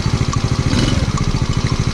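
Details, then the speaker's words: Chinese replacement engine in a Little Cub, about 10 km into break-in, ridden in 4th near idle; a quick even tappet ticking over the exhaust beat that was absent at first, likely needing valve clearance adjustment. "ただちょっと気になるのが、最初の時は鳴ってなかったのタペット音ちょっと鳴ってます。"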